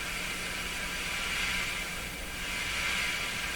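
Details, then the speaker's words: Grundig 2030 AM/FM tube radio with low FM output, on FM with the radio's supply voltage set low: a constant loud hiss with no clear program underneath, so the FM side isn't pulling in a usable signal. "came way up you're still on FM lots of hiss now this is not moving"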